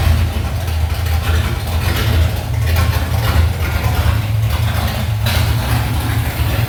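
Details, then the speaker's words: 1979 Chevy C10 with replacement roller-cam 350 small-block V8, first start after engine swap, not fully filled: deep, steady V8 rumble with even beat and no ticks or knocks; temperature gauge read very hot, possibly miswired; normal healthy idle. "It's not full, but we're going to I'll let it party like that for a minute. I can at least crank it up and run it for a few minutes."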